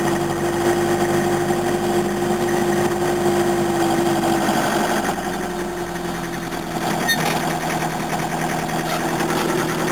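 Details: 1981 Toyota diesel (same engine type as a van that ran out of oil) at steady idle with a loose, irregular knock about three times a second and a droning tone, knocking harder than it should. Owner suspects something chronic but probably simple; cause not confirmed.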